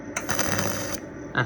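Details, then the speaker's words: WELTIG200 welder arc with current set to 130 A: a steady, even crackling arc holds for nearly a second, then a brief restrike. The arc is stronger than at 100 A and the welder works normally. "ဒီတစ်ခါ အားကောင်းသည်။ ပိုအားကောင်းတယ်။ ကောင်းပြီ၊ ပုံမှန်အတိုင်း ချိတ်ဆက်နိုင်ပါတယ်။"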